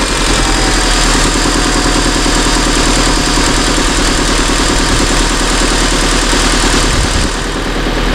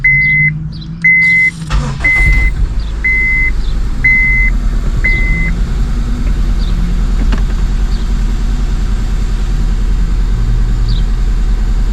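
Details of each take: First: 2002 Honda Civic after replacing the ignition coils, previously misfiring with codes P0300–P0304: steady, even idle with no stumble, purring smoothly; no more missing. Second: 2002 Honda Civic, codes P0300–P0304, after cleaning grounds and reseating injector and coil plugs: engine starts and idles lumpy and uneven, short-term fuel trim a little high, one cylinder dead; misfire at idle.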